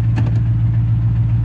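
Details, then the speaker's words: Roush Mustang with a 4.6 V8 and 124,000 miles, started at auction. The idle lumps with a regular skip, a misfire, and tampering with the car is suspected. "It sounds to me like we've got a little bit of a misfire here. It feels like it."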